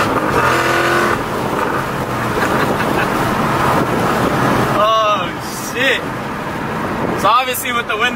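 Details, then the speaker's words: 2016 Ford Mustang GT with Whipple supercharger and Stage 2 whine mod kit, windows up, hard pulls: road roar then high whines sweeping up in pitch, coming in at higher RPM. "up it comes in at a much higher RPM but nonetheless it's there dude it's definitely noticeable"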